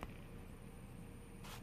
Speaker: I don't know what it is about them lights, but they're squealing.